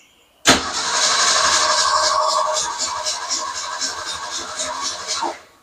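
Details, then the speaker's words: Car that died while backing into a space cranks steadily, about four turns a second for five seconds, without firing while fed from a gas can; no fuel getting through, owner suspects a plugged fuel line, possibly rust or corrosion. "It's definitely in the fuel. Try it again. [snorts] H. What if I did this? Try it one more time. Nothing. Nothing. Why nothing? You don't understand. Makes me think the fuel line is plugged."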